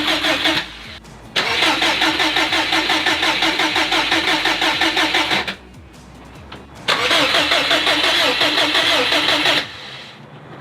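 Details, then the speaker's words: Built 2005 Subaru WRX STI before first start, fuel pump and crank position sensor disconnected: two long cranking bursts, steady fast starter chug, engine never catches; deliberate no-fire crank to build oil pressure. "So we're gonna have to build oil pressure. So that way I can turn the key, the car won't start. It's not gonna be dumping fuel into the cylinders either."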